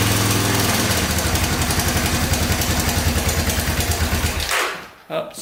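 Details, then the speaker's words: Honda ATC250SX three-wheeler idling after freeing a stuck timing chain tensioner, valves checked good: uneven clattery rattle about three ticks a second; suspected loose timing chain, not confirmed. "still there i think it's just a loose timing chain"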